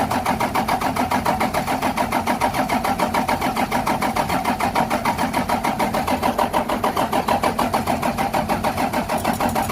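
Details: 12-valve Cummins diesel in a '75 International, just fitted with new injectors, lines tightened after bleeding: steady starter churn at about three pulses per second, never catches. Owner suspects more bleeding needed or a bad pump.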